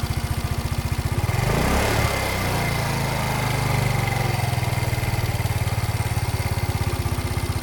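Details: Motino Techno 50 four-stroke scooter (YY50QT) after a full rebuild with new crankcase; valve clearance (intake 0.05, exhaust 0.10) and timing rechecked, but it gets extremely hot within a few km: even idle putter and a short throttle blip.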